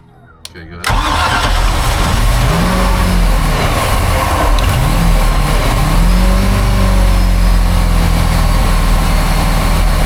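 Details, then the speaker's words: 1978 Sea Ray 24 ft boat, MerCruiser 383 Mag Stroker, gas hand-fed into carb: cranks, catches and runs roughly with revs rising and falling; fuel-starved, hoping fuel pump primes; later found bad gas and carburetor needing replacement. "so now I'm just kind of basically Force feeding it with gas to make it run hopefully it primes up the fuel pump and does it by itself"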